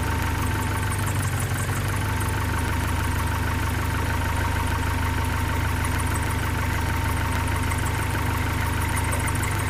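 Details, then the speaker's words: 1972 Datsun 510, L20B engine, carbureted, after finding a large vacuum leak at the carburetor base and adjusting idle to about 470. Even, steady idle with a smooth low hum, no hunting, misses or surging; very stable. "right now I'm just adjusting the idols through right now I'm at 470 and it's idling which is fantastic"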